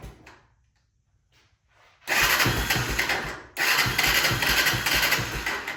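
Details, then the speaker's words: 1996 Honda FourTrax 300EX ATV bought as a no-start, no-run, with its airbox tube reconnected and an aftermarket air lid added for back pressure. It starts rough, dies, catches again and surges unevenly but won't settle into idle. "But let's try to fire this thing up again and see if it'll idle this time with that extra back pressure."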